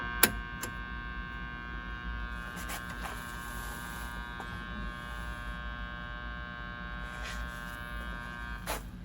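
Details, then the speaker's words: Arvin 257T tube radio, IF alignment with a warmed-up signal generator at 117 V line voltage. A steady, clean tone through the speaker with a few handling clicks. The IF stage passes a clear test signal. "We're hearing it already. >> I'm getting a clear signal."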